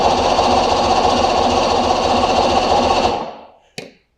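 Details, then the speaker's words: Force 150 hp outboard, good compression, no-start: starter spins it at an even churn about four beats a second with no firing; spark checker shows no spark, flywheel key found intact. "i don't see any spark somebody lied to this guy let's find out why on most engines we have four components that control the spark we've got a trigger a stator a cdi box or power pack and the coils"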